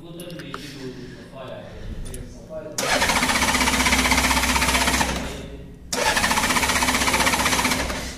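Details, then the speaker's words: Honda Gold Wing motorcycle cranks in two long steady bursts, about four beats a second, but never starts; no current reaching four wires, and it starts when wired direct, so a wiring fault is suspected. "तो जैसे की आपने देखा start नहीं हो का रही है तो इसमें जो है यहां पर जो है करंट नहीं ए रहा है इन चार तारों में"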